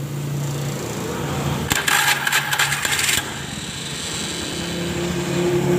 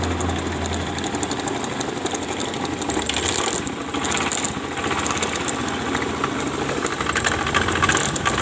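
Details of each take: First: Honda Beat FI scooter, never serviced, complaint of rough CVT noise: after a brief rattle at restart, steady, even idle; engine is normal, the rough noise blamed on the dynamo. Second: Honda Beat FI scooter, never routinely serviced, complaint of rough noise from the CVT case: revved up and down with a coarse rattle rising with revs; the rear pulley seems loose. Cause suspected, not confirmed.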